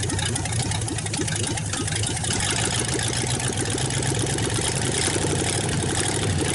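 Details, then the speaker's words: 1954 Ford Y-block 239 V8, first start in 20+ years after checking firing order and plug wiring: loud open exhaust burbling at a steady idle, even firing, very little smoke, no knock or lifter tick; healthy engine. "Nothing wrong with that engine. Very little smoke. No knocking. I don't hear no lifters tapping. I know the exhaust is loud, but at idle, you know, if they was ticking, you'd be able to hear it."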